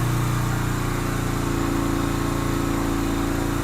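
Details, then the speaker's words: 2007 Yamaha Virago 250 twin, first start after electrical repairs with air box off and tank loosely fitted: fast, steady idle, even drone, no hunting; idle set too high and hanging, air-fuel mixture screw to be adjusted. "idle's kind of high. Let me open the door. Maybe adjust the idle down a little bit. Sounds like the idle's hanging a little bit."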